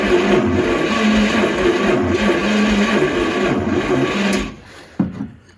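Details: 1938 Chevrolet Master Deluxe sitting since early 1970s, first start attempt with choke control fitted: steady starter whir with slow uneven compression chugs for about four seconds, cranks but never fires; they question the starter and battery.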